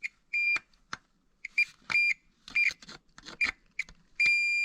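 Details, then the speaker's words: Mercedes Vito 3.0 V6 diesel glow plug tested with a multimeter continuity beeper: sharp beeps come and go as the probes make contact, then one beep holds steady; the plug has continuity and is fine. "See? So this plug is fine."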